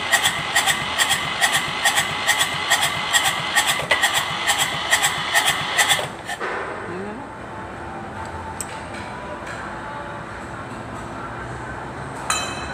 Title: Hard starting kubota Z751